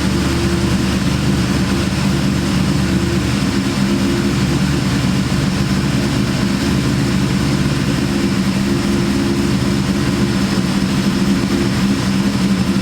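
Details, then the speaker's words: Terminator Cobra with big cams and ported Eaton blower, freshly tuned, at idle: loud constant low hum over the engine note; owner guesses hum is from the supercharger, unconfirmed. "guys I'm guessing that humming noises stir up inning against I can hear it pretty loud"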